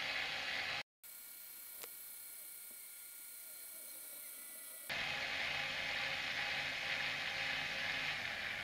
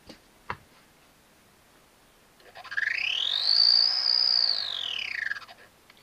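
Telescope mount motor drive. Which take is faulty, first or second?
second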